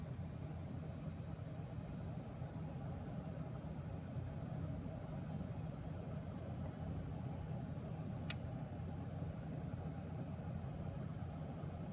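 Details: MSI GTX 1080 Gaming X graphics card: steady low buzz, unchanged throughout with no rhythm or rise in pitch; buzzing noise, cause unknown.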